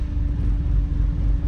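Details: Chevrolet Silverado diesel after replacing the injector lines and bleeding air: steady, even low rumble with no misses, a smooth clean idle.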